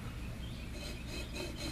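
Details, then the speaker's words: 1979 Chevy truck leaking water pump, pulley spun by hand with engine off: rough gritty rasping grind, bearings shot and pulley flange wobbling, not tracking straight. "Can you hear that? The bearings are shot in this thing."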